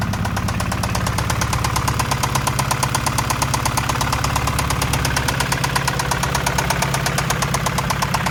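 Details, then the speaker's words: Acura Integra idling right after an alternator replacement and jump start (battery dead after a month sitting): sharp, regular fast tapping over the idle that doesn't let up; owner thinks the engine is knocking and plans a new engine, cause unconfirmed. "Okay, so the alternator is replaced, but I think somebody is knocking."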